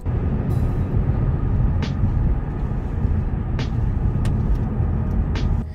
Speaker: this clip i'm playing right now is after the wheel bearing has been replaced and you'll notice it is much quieter